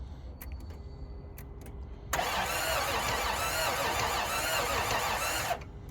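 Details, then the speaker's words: 1992 Toyota 4Runner on a jump box: starter cranks steadily for about three seconds with a few weak catches, but the engine never fires and runs; cranks but will not start. "Toyota's trying to start up. That's about as much as you can get out of it. Tries to fire up and just will not do it."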